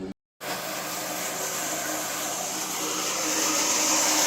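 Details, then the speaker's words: Septic system pump running just after a new standpipe and wiring were installed: a constant loud rushing whir that builds slightly. It is noisier than expected, and the owner wonders if he did something wrong; cause unknown. "well you can hear it running seems a little noisy I don't know if I did something but we'll make sure it turns off anyway"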